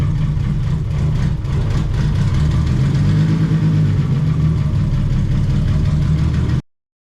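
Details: Chevelle with 2JZ engine swap, first start and run: deep, steady exhaust rumble with a brief rev and no knocks or misses; healthy engine running and idling cleanly.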